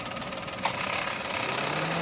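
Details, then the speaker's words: 2014 Maruti Celerio petrol idling quietly and evenly after replacing the ignition coil, which had caused a cylinder 2 misfire and check engine light. "नया कोई लगाने के बाद a perfect लग रहा है दम साइलेंट हुए गाड़ी"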